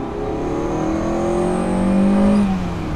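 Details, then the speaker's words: Ferrari 308 at full throttle in second gear from 3,000 rpm: note climbs with a thin high whistle and high-pitched rattle, absent at constant 4,000–5,500 rpm; belts and tensioner bearings replaced 1.5 years ago, bearing suspected; source unknown. "like a it's a whistling noise but it's also like a high-pitched rattle and again a constant speed if I go up to those gears"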